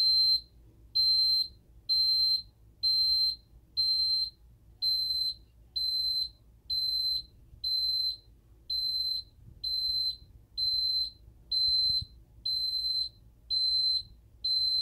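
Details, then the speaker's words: Ademco keypad armed away during exit delay: high-pitched beeps about once a second whose piezo sounder wavers in pitch and stutters; countdown not displayed, owner suspects programming. "You can kind of hear the piezo having a little bit of an issue keeping its pitch. And it also stutters a little bit as well."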